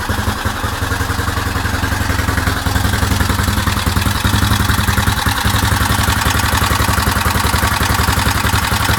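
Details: Suzuki DR750 single-cylinder idling with a steady thump and a loose clatter riding on top. The engine is noisy, but the cause is not identified.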